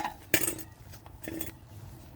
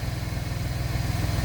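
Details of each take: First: Gen2 Chevrolet Traverse running: harsh steady rushing hiss with quick even puffing from an exhaust leak at the pipe joint between the resonator and muffler. The fix was new nuts, bolts and a gasket. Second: Gen2 Chevrolet Traverse after repairing the resonator-to-muffler exhaust leak with new nuts, bolts and gasket: steady, even low putter at idle with no puffing or ticking. Smooth, healthy idle.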